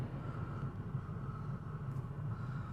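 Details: Toyota Auris idling after oil change for low, overdue oil that triggered the oil warning light: low steady hum, even and smooth with no knocks or ticks; oil light no longer flashing, engine running normally.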